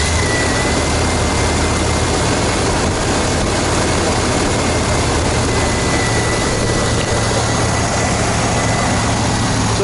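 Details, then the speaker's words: RV tow vehicle engine at idle in strong wind with the fan running: steady, even idle with no intermittent knock or rev dip; the earlier noise is gone, though a passenger-side exhaust leak is starting. "so good yeah I don't hear it yeah it definitely doesn't make the noise that it did"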